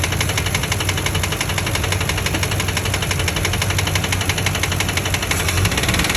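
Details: 2004 Ford Expedition 5.4 Triton V8 idling: a steady, rapid bottom-end knock about three per second appeared after a blown-out spark plug was repaired. Rod knock is suspected from poor prior maintenance; Seafoam and Lucas treatment are to be tried.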